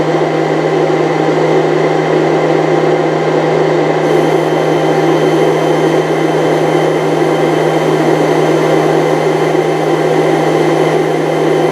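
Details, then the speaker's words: 1998 Chaparral, Mercruiser 305 (5.0) V8 carbureted Alpha1 sterndrive running rough/misfiring: fuel pump flow test into a bottle, about a pint in 15–16 seconds, steady constant electric hum; fuel pump judged okay, filter probably okay. "The Essentially, the fuel pump was okay. The fuel fuel filter was probably okay."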